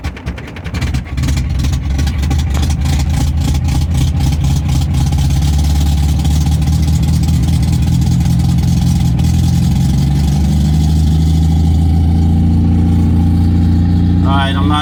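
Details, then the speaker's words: Warm MGB with choke fully in, after losing power above 3000 rpm on a highway run, idles lumpy and hunting after a throttle blip; a soft vacuum hose was collapsing, and owner suspects fuel starvation; rough idle. "i don't know why i need choke to keep this running listen to it it sounds like it sounds horrible"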